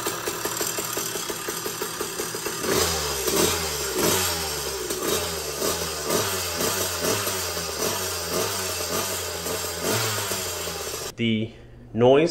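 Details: Phantom 85cc two-stroke motorized bicycle engine, 52mm bore: revving up and down with a metallic rattle on every firing pulse. The stock piston pin bushing's inner coating is disintegrating.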